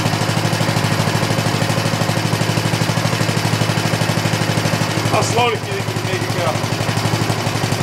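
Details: 1960s push lawn mower found in trash, after carburetor cleaning and plug cleaning, running slightly rich without air cleaner or fan shroud: crisp even single-cylinder putter, briefly dipping then recovering; normal running.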